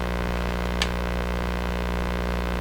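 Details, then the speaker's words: Sparton 1567 tube radio on the long wave band with a signal generator as antenna: steady mains hum and hiss with little signal coming through; weak, noisy reception, AVC voltage low, below 2 volts, IF alignment suspected. "this is not a particularly strong signal because you hear all the noise all through it"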